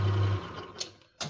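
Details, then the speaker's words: Lathe taking a heavier cut while machining a vice pip anvil: a loud, low buzzing hum that cuts off suddenly, tool chatter giving a terrible cut. Machinist suspects a worn insert. "I'm going to take a bit more of a cut. We're going to go Oh, no. That's chatter, baby."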